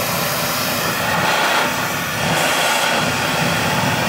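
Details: Whole-house central vacuum heard at a wall inlet port after rocks, paper clips and debris were pulled out: strong, even rushing roar with a steady motor drone and no surging or rattles; it is running normally with good suction.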